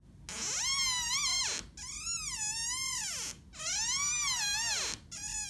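Drawn-out, high, wavering squeals as a door swings, the classic sound of a dry, misaligned hinge.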